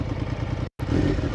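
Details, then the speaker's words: Triumph Daytona 900 Super 3 triple, cold start on choke after 4–5 months unused: loud, lumpy but even open-pipe burble with a steady low thump and no knocks; normal cold idle. "oh my God I'm pleasantly surprised Always by this bike"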